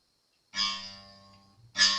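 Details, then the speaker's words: Fender Jazz Bass after a refret: two plucks of the open G string with a bright metallic buzz against the first fret, because the nut slots are now too low; the buzz stops when fretted, and a new nut is needed. "You can hear it buzzing. I'm sure that one isn't. It's really only the G string that's buzzing."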